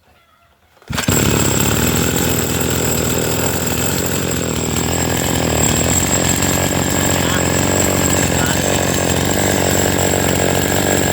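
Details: Chainsaw that would not start, after checking the carburetor and a suspected clogged fuel passage or filter: it fires after a second of quiet and holds a steady, even buzzing run with no surging.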